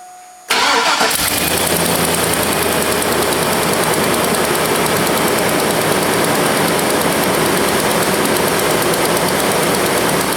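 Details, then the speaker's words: 2002 Silverado 2500HD, 6.0 Vortec V8, cranks and idles with sharp ticking puff from an exhaust manifold leak due to broken manifold bolts; bad leak on the driver's side. "It's got the broken exhaust manifold bolts. It's actually got a bad leak on the driver's side, but I'm going to be doing the work here on the passenger side only because it's going to be easier for me to show you what's happening on the passenger side."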